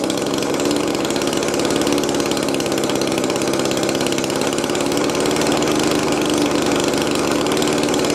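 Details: Old Echo two-stroke blower after a carburetor hang-up that kept the idle high was fixed: the buzz holds steady and even with no surging or hunting. It is running properly.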